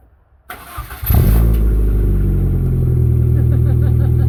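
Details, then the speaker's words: MG ZR after fabricating and welding a new exhaust back box, started out of gear to check for leaks; engine catches after a short crank and settles to a steady, even idle, quieter than before, no leak puffing. Normal exhaust note. "Sounds sweet, doesn't it? Sounds quieter than it did fucking this morning."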